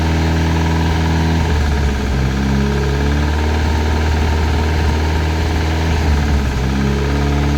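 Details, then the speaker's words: Classic Mini turbo at first start-up, even deep idle with a light knock felt and heard at the rocker cover; suspected rockers, likened to a big end gone, cause not confirmed; top-end knock at idle. "touching on cover can you hear it Knocking it's ch mostly yeah can you hear it Knocking a little bit front sounds almost like a big end gone"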